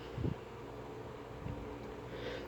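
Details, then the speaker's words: Sanyo desk fan after motor teardown, run at speed 1 with the non-working oscillation mechanism removed: a faint, steady low hum with only a few soft bumps and no rattle or buzz. The motor runs smooth and quiet. "It is just delightfully quiet. I can't believe it. I can't believe it."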